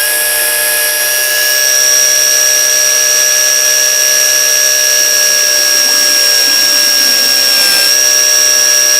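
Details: KAMOLEE mini pressure washer, nozzle set to zero, pumping water from a barrel through an initially empty hose: steady high-pitched motor whine at constant pitch while priming, normal running; hose fills fully, pressure judged weak.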